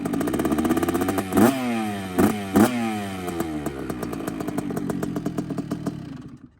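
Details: Two-stroke bike after replacing the silencer packing: crisp crackle with a few sharp throttle blips that settle and die away cleanly, no rattle; normal, healthy exhaust.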